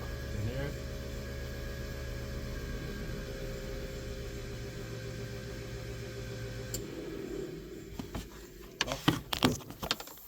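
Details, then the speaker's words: GTO with a newly wired Link ECU, fuel pump output test: an even electric hum runs for about seven seconds and cuts off, then some clicks; the fuel pump switches on and runs properly. Injectors test OK, but ignition outputs 2 and 3 failed. "I can hear the fuel pump off so I'm not sure if you can hear it so that's off on so fuel's being pumped"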